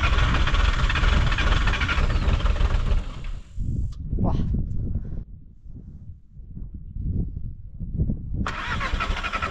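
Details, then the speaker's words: VW T3 diesel bus at over 4000 m in the Peruvian Andes, cold: long, laboured cranking with uneven chuffs before it catches roughly, while air bubbles are still being drawn through the line. Air in the diesel fuel line from a leaking T-piece underneath. "Wir ziehen über die Leitung immer noch Luftblasen, aber jetzt habe ich den Fehler gefunden. Unterhalb ist ein Teestück und das ist undicht."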